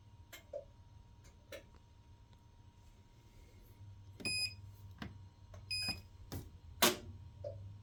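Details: Kenmore washer that recently began shutting off; turning it off and restarting used to work, but now on any cycle it shuts itself off and stays locked. Only scattered clicks, short panel beeps and a faint hum are heard, and the motor never starts.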